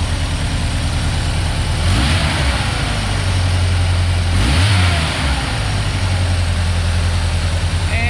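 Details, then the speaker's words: 1990 Ford Ranger, remanufactured long block, cold: runs smooth at idle but misfires on throttle input with a rough, lumpy, shaking stumble, dropping at least one cylinder; worse with higher rpm until it stalls, and cranking sounds low on compression. "it gets progressively worse I'm sure you can see how much it's moving right now shaking around a good bit but uh yeah the problem will get worse if I if I rev it higher and make it to the point where it'll just stall flat out"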